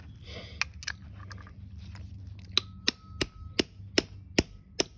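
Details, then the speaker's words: Sharp metallic taps about every third of a second, each ringing clean as a new check valve drops home, tapped in with an 11/32 socket during rebuild of Simpson OEM pump 520004 on an MSH3125-S pressure washer after melted valves; check valve properly seated. "And then you can kind of hear it. It's seated. Seated. Seated."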